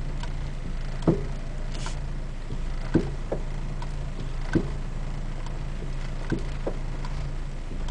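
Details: Dull single clunks every one and a half to two seconds over low road rumble from the front driver-side suspension of an RSX Type-S; cause not yet identified.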